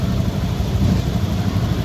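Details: Honda Vario 110 ESP scooter after replacing the CKP sensor and clearing its fault history: steady, even low putter with no stumbles or dropouts; idles cleanly and normally.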